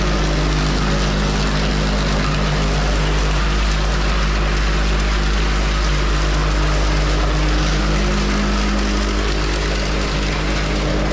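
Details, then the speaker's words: Van Dale silo unloader running in the silo after setup, greasing and oiling; steady even low drone with light rhythmic churn, no knocks or grinding; running smoothly, silage coming down nice and smooth. "it seems to be running good okay all right well it seems to be working good"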